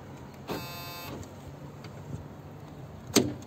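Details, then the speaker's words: 2004 Honda Civic VTEC power window: a brief electric whir that stops short then a sharp click; the motor has lost its torque, it spins but cannot move the glass, so the fault is in the window motor. "Aynen motorun Torku gitmiş çalışıyor ama zorlamıyor"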